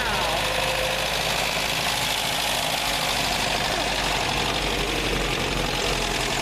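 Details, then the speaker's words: 1960 Nash Metropolitan engine just fired up: loud even roar with hiss, no stumbling, revved with a little gas to warm up; idle needs setting up a bit; running normally. "Get a little gas. Let's let her warm up. Let's let her warm up real good, Richard."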